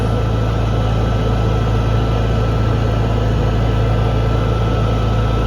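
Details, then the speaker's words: Honda EU6500is inverter generator, stored about 2 years, just started after replacing a failed GCU (no-spark fault). Green output indicator on, 3,300 RPM, battery charging. Steady, even drone with a low hum, no surging, misses or knocking: normal running. "Okay, we got our green output indicator on. So we're running at 3,300 RPM."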